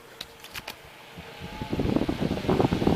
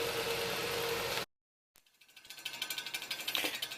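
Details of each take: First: Mid-1950s Bersted "Zero" 1250R electric desk fan after restoration with blade pitch increased: a few light clicks, then a steady, even rush of moving air. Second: Mid-1950s Bersted "Zero" 1250R electric fan, running: clicks and rattles about four times a second because the blade's center cap is loose on the hub, like a rattling hubcap.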